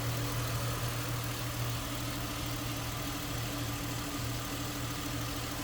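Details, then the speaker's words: 2007 Ford Mustang convertible, idling with hood open at the engine bay: steady, even idle hum with a smooth low drone and no knocks, misses or ticks; a smooth runner that sounds good. "underside of the hood and engine bay smooth Runner sounds good and again nicely equipped AC blown cold"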